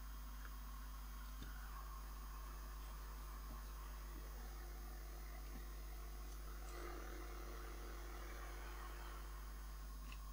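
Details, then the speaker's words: 1970s Crown portable cassette recorder running on mains power: a constant low hum with faint steady tones while the motor spins but does not drive the tape. The noise is absent on a 6 V supply; electrical noise, cause unknown. "yeah we still have that noise it doesn't really sound like maine's noise either to me that means it's not actually driving the tape so say yes the motor's spinning"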